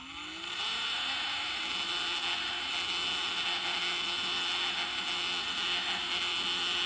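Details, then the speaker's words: Dolphin Nautilus Plus pool cleaner self-test after re-soldering a loose brush-board wire in the impeller motor: smooth steady high whir spinning up, no grinding; wheel drive motor running forwards and backwards, impeller fed 26 V then 17 V; normal running. "So that's the wheel motor doing its thing. And there's the voltage."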